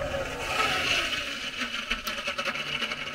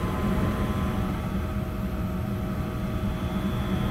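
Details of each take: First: Lennox 90% furnace inducer motor: a steady fan hiss with irregular wet bubbling and popping as condensate backs up into the inducer, with a pressure switch fault; believed due to line blockage and improper trap prime. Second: Steady, low hum of the inducer and burner from a 90% Lennox furnace running normally with no gurgling, after a pressure-switch fault was cleared by clearing clogged drains and priming the condensate trap; steady drip after about 10 minutes.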